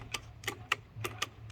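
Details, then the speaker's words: 1985 Honda Big Red three-wheeler with car battery fitted, add-on winch: sharp separate clicks about every third of a second, no motor spin-up; solenoid clicks but winch won't run, owner suspects a grounding issue. "you can hear clicking when you turn it on so it's probably just like a grounding issue"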